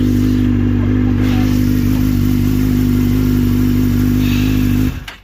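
Steady, even idle with a constant drone and no misses or knocks until it is switched off; engine sounds healthy.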